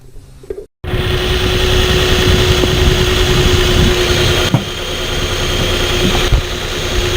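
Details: Truck with the check engine light flashing and code P0350: idle stumbles unevenly with a misfire; unplugging the coil connectors changed the sound except on the bad coil, and replacing that coil traced the fault.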